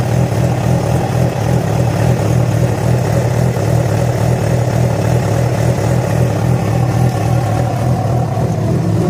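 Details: Yamaha FZ6 four-cylinder with a steady drone and an uneven, slightly lumpy pulse on top at idle and revs; began after riding about 70 km on two cylinders due to a failed ignition coil connector; cause unclear.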